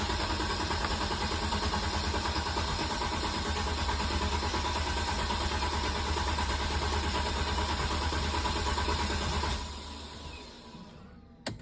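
Steady starter-motor churning around three beats a second that never catches into a run, then cuts out; cranks but won't fire.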